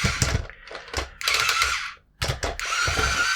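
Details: Cheap Star Wars R2-D2 toy on about 6.3 V DC bench supply, remote-controlled: small head-drive motor whirs in short uneven straining bursts, cutting out between them; gear drive binding and sticking.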